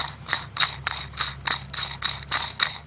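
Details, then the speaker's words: Worn clutch throwout bearing from a Chevy 327 V8 in a 1949 CJ3A with three-speed, removed and spun: gritty, raspy bursts about four times a second with a thin metallic ring; it had been squealing badly. "I don't know if you can hear that but it's bad I mean it was schooling so bad"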